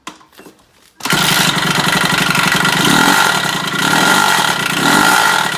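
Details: 2007 Kawasaki KX65 two-stroke dirt bike: fast, rough idle with a rapid, uneven knocking beat over the exhaust; engine knock, source unclear.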